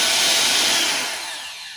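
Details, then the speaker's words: Bolde Super Mix Turbo mixer after motor and gearbox repair, 220 V, turbo test: smooth even high-pitched whir at full speed winding down cleanly; normal motor run. "Oke, mantap. Nomor 1, kita tekan turbo. Oke, turbonya normal."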